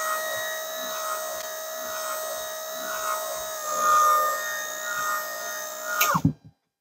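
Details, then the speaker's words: Virtual pinball gear motor (an electric window motor) on a 12 V bench supply drawing 1.72 A: steady, even electric hum at constant pitch that cuts off cleanly when power is removed; normal gear motor run. "so i'm going to touch this and you should hear the gear motor"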